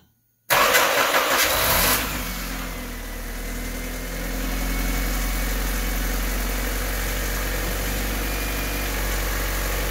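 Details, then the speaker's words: Honda Civic/CRX (B/D/H/F-series) restart after the coil-on-plug conversion wiring was zip-tied and reinstalled. The starter whirs over a second before it catches, then a steady idle. It was slow to fire for an unknown reason, but runs fine. "all right it is fired up I guess it took a little bit to fire up I don't know why but everything is good"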